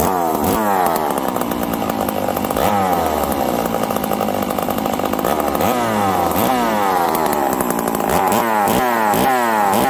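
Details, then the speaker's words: Stihl 038 Magnum chainsaw, started after sitting four to five days: crisp two-stroke revs climbing and dropping cleanly on each blip, no misfire or bog; starts and runs properly. "okay i'm gonna call this a wind this thing's ready to go in the wood"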